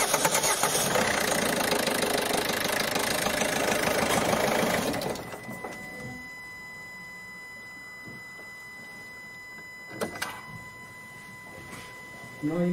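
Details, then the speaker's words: Ford 1.5 TDCi diesel after a timing belt jump and repair of broken rockers, bent valves and camshaft damage, first start: fires rough and uneven, missing beats for seconds, then dies, with air trapped in the fuel system. "to silniczek odpalił natomiast musiałem z co prawda początki efektu odpalania były takie dla niego tragiczne jakby nie palił na wszystkie No ale siłą rzeczy był bardzo zapowietrzony"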